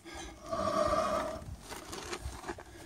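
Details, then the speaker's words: 1977 Ford F250 rear wheel, screeching and scraping while driving: wheel turned by hand gives a short rasping, squealing scrape with drag, feels tight; owner suspects a broken drum brake spring. "Notice the scraping noise coming from this wheel area right here, and I'm going to go ahead and raise the vehicle and see if I can figure out if it's a broken brake spring or just what it is."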